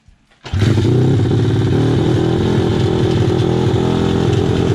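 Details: SSR/Pitster Pro pit bike engine after an in-depth teardown, started outdoors. It fires up quickly and settles into an even, steady single-cylinder beat with no clank or misfire. Engine sounds healthy.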